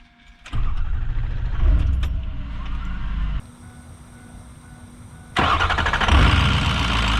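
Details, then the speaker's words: 6.0 diesel truck: short crank, then it catches quickly and settles into a steady, even rumble. Now starts well hot or cold, quicker after letting the fuel pump prime; previously needed 4–8 cranks of about 10 seconds each. "Starts good when it's hot, starts good when it's cold. It does start a lot quicker when I let the fuel pump do its thing, but she starts good every time."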